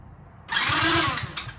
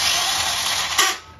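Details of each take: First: 50cc Kazuma Meerkat Chinese quad during rebuild, after a grinding noise on earlier tries: three short bursts of quick even cranking with clean starter whine, no grinding; starter engages properly, engine holding about 100 psi compression. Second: 50cc Kazuma Meerkat quad, starter jumped straight from a new battery. A harsh high whirring grind lasts about a second, then dies off with no cranking rhythm. Owner suspects a bad starter spinning without turning the engine and plans to check the starter chain under the stator.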